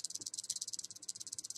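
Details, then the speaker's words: iTaste VV 3.0 vaporizer shaken: fast, light clicking rattle, about fifteen ticks a second, from loose plus/minus and fire buttons chattering in the housing; loose button rattle, normal for this model, not a defect. "I just want to let you guys know that when you get it, don't think something's wrong with it. But the buttons are really shaky, like they rattle."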